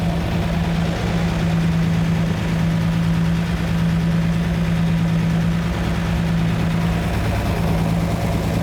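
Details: Lamborghini Miura V12 after setting mixture on the front row of carburettors: even, steady low idle with constant hum, no misses, hunting or knocks, smooth enough to balance a coin on the engine; healthy idle.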